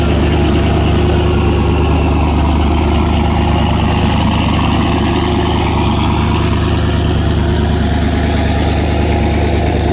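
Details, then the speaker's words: Mustang race car just after a new head gasket, first start following fuel-system priming; loud, deep, even idle with steady lope and no ticking, hissing or misses; normal idle. "sloppy mechanics trick to tell if your motors quiet or not"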